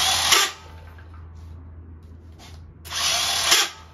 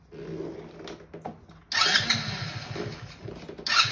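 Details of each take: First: 50cc Kazuma Meerkat quad, starter jumped from a new battery. Two short high-pitched whirring bursts with no cranking beat underneath: the starter spins free and never turns the engine. Owner suspects a bad starter or a lost starter chain, and the motor feels hard, possibly locked. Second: 50cc Kazuma Meerkat Chinese quad after a complete rebuild (new carb, fuel tank, fuel lines, filter, chain, electrical) on its test drive. The small engine fires and revs cleanly in short pulls, picking up smoothly with no misfire or knock; it runs healthy.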